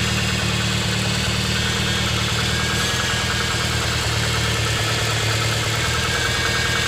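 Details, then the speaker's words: Toyota AE86 Corolla, cold start after Seafoam treatment: cold idle with a steady whine over the engine and a quick puffing tick. Noisy power steering pump whine plus an exhaust leak somewhere. "And an exhaust leak somewhere for sure. That's a pretty awful sounding power steering pump."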